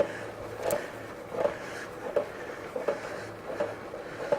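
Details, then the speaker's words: Mid-1930s Humber Ladies Sport bicycle ridden in first gear: steady scraping, grinding clicks about 83/min following pedalling from a dry chain; chain case not removed, only oil dripped in; likely needs a new chain. "I'm sure with a bit more servicing you could take out that sort of noise in the chain. It probably just wants a new chain, really."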